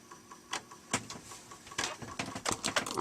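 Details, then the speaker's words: Amiga 500 Plus after fitting a new Gary chip, booting an Amiga Format cover disk: irregular sharp ticks and short buzzing bursts as the floppy head seeks without settling; drive powered and seems to attempt a read but disk fails to load, cause unconfirmed. "oh no it didn't it did actually try attempt to read the disc i think though"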